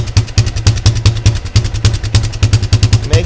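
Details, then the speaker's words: Yamaha Grizzly 600 ATV (about 1998–2001) single-cylinder: lumpy idle thump about three beats a second, slightly uneven, with black smoke and choke partly on; owner thinks it is running rich and plans to adjust the idle mixture screw. "Let's see. I don't know if y'all are able to see it smoking black."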